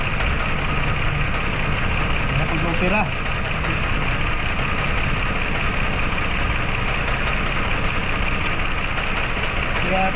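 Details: Mitsubishi Mirage G4 that misfires when warm, despite new ignition coil and spark plugs, with a fuel injector code; steady idle with faint uneven stumble, intermittent misfire from rotted, broken injector positive and negative wires.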